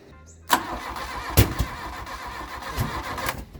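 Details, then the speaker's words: Mk1 Volkswagen Golf paddock find cranks in uneven bursts with a few sputtering catches but won't run. A spark flash was seen; a blocked exhaust or a distributor 180° out is suspected, not confirmed. "oh I saw a bit of a flash down there unless the exhaust is completely blocked so that's very unluckly"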